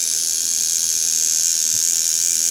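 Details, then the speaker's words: Cheap $5 kit coil tattoo machine run straight out of the box at about 4–5 volts, before tuning: a steady, thin, high buzz with a rattly edge, chattering from a loose contact and soft spring. "oh let's do it this does [Music] rattle itself apart"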